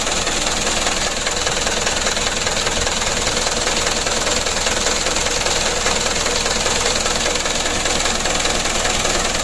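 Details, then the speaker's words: Mitsubishi Canter HDL 136 PS diesel in a tour bus, cold, burning heavy oil (over two liters per trip): harsh, rattly idle chatter with a loud hissy wash; blow-by from worn piston rings, which are being replaced. "kalau mesinnya menurut saya ini bolongnya kan lumayan teman-teman"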